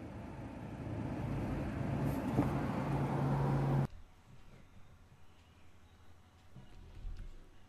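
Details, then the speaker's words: Car engine idling under 1000 rpm: idle swells up over a few seconds then sags away, rising and falling, never settling; unstable idle, cause not determined. "ويحبط يطلع ويحبط، يعني راهو تحت 1000 تور يطلع ويحبط يطلع ويحبط."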